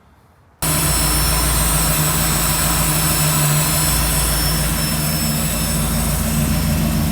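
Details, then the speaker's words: Tunnel-ram V8 with whine/squeal, idle stuck high; lumpy idle with thin steady high-pitched hiss; vacuum leak at plenum-to-lower-manifold joint, taping it dropped rpm about 200; planned fix: reseal plenum gaskets. "so after all of that it ended up being it's a vacuum leak so i'll take that plenum off and put sealer on those gasket areas and tighten it back down it should be good to go"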